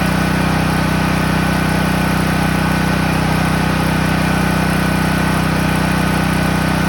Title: Promate PH5600 6KVA gasoline - PS. loud noise